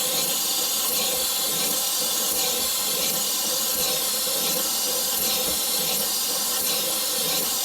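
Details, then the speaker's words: Morey vertical slotter cutting internal keyways in manganese bronze worm gears with Kool Mist coolant moved to a new spot: loud steady spray hiss over faint cutting strokes about 42 a minute; sounds different and wrong, blamed on mist placement, so sprayer is moved. "you know what I don't like where that's spraying I don't like the sound it's making it's a little different than what I had before we're gonna go ahead and just move our coolant sprayer"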